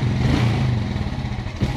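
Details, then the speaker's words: Suzuki Smash motorcycle with a weak battery, neutral light dimming and brightening as throttle opens: engine note stumbles and breaks up unevenly, never pulling cleanly; misfire from weak spark due to the battery. "kekurangan api ya tidak mau dicas"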